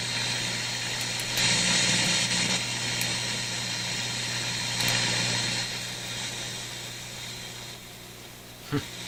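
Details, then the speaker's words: Electrohome Kalmar console stereo receiver (FM not working, controls noisy): hiss and hum with irregular crackle bursts and a pop in one channel, whatever control is touched. Owner suspects a capacitor around the bass/tone control. "But come on, it doesn't matter what I touch, I get that noise."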